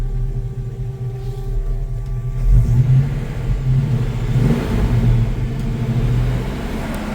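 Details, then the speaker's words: 1966 Chevy C10 pickup on a mild (about 61°F) day, running smoothly with an even rumble that swells cleanly on a couple of light throttle blips; normal healthy running. "And so, see how cool this thing runs."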